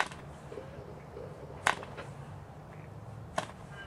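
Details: Cox glow engine on first start attempt, needle opened slightly, glow plug on: two sharp pops about 1.7 seconds apart, nothing sustained; fires but won't keep running.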